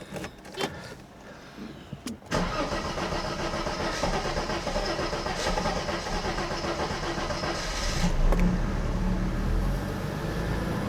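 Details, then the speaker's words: 1991 Mercedes 300CE that sat for years, starting after its idle control valve was cleaned with Seafoam, with no gas pedal at first: brief cranking, then it catches quickly and settles into a smooth idle with a small rev rise. It sounds much better. "My goodness, that sounds so much better."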